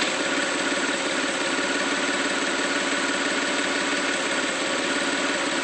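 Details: 1995 GT rough idle: uneven beat around three pulses a second that stumbles and wanders; engine also stumbles on throttle like a misfire and accelerates slowly; cause not pinned down.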